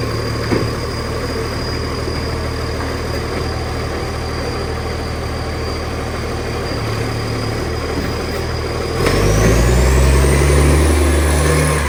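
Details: 2013 West Torrens diesel garbage truck: a loud, raspy rumble with a rapid even pulse at idle that swells as it revs. Big exhaust leak.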